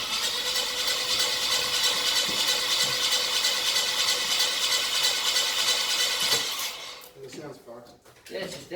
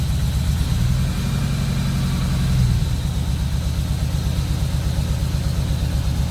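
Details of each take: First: Ford BF Falcon F6 Barra after a camshaft swap (old cams noisy, a roller suspected dead or dying): the starter cranks evenly at about three beats a second but the engine never fires, with no fuel smell; cranks but won't start. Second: Ford BF Falcon F6 Barra inline-six after a camshaft swap (old cams noisy, a roller suspected dead or dying), first start with tappet cover, plugs and coils refitted: steady, even low idle, smooth regular beat, no ticking or knocking; normal idle.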